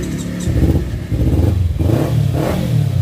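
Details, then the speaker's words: Kawasaki Ninja 250 FI after starter fault repaired, previously only clicking and starting intermittently: engine catches cleanly and revs up and down with steady, even beat and no clicking; starting now normal. "Ini sudah kembali lancar."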